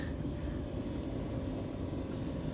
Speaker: Could have been because it was unplugged and the reset function on the control didn't work, but now it's started up and we can hear it going.